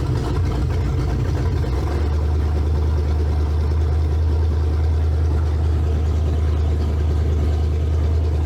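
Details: 302-swapped Ford Ranger with carburetor: deep heavy rumble that wavers at first then settles into a steady drone; rich running, carburetor flooding traced to a leaking needle and seat.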